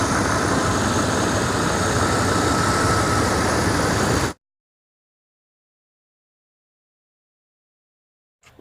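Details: '93–98 Jeep Grand Cherokee V8 just started after serpentine belt replacement with AC compressor bypass belt: smooth, even idle, steady low rumble, no chirp or squeal; normal idle.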